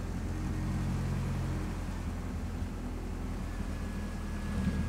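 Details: Straight-piped Honda at idle after sway bar bushing and linkage install with exhaust hangers refitted; even deep idle with no metallic tapping or rattle, exhaust clears the sway bar linkage.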